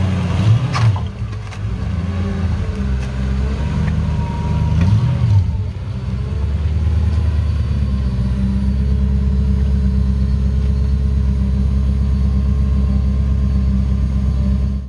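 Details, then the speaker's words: Mercedes 560SL R107 with swapped supercharged M113K V8 from an E55 AMG (480 hp), manual gearbox, MaxxECU, believed running on E85: a few blips then steady even rumble, no knocks or misses, before shutdown; runs healthy. "Let's Let's see how how it starts up. I think he's running it on E85 ethanol fuel right now."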